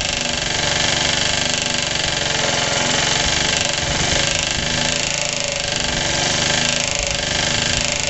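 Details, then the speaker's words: Suffolk small single-cylinder engine, cold first start after rebuild, rope started with starter bolt missing, idle turned up: hard sharp knock every firing stroke, not present before; suspected clutch or shrouding, unconfirmed. "it never used to make that knocky noise so I don't know what the hell's going on it's definitely fully tight never used to make that noise"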